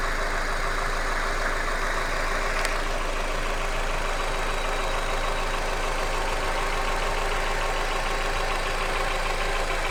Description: стук в двигателе Hyundai Accent